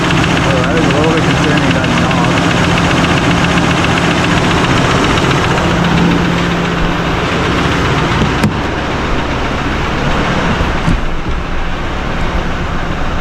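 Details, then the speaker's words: Rebuilt 2024 Chevrolet High Country Duramax diesel at first start, fluids just added, good oil pressure: fast light tick around 220 a minute over idle; owner suspects a lifter or injector, engine ground strap not yet connected. "they got lots of oil pressure, it says, but sounds like a lifter or something, but so it does run. It kind of make a little bit of a noise there."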